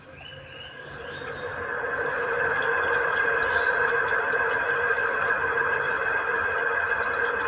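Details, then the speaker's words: Usha table fan, customer complaint of a chirping noise, run slowly on a series (low voltage) line: steady high-pitched chirping squeal over a faint hum; source not yet found, fan to be opened. "Customer का है वो, जैसा कि वो कहते हैं कि हमारे पंखे में चू चू की आवाज़ है।"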